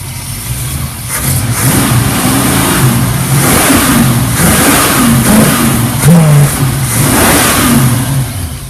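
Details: 1967 Ford cold/dry start at about 10 degrees: engine catches and runs rough, revs surging and sagging unevenly for several seconds; stumbling cold start, cause unclear.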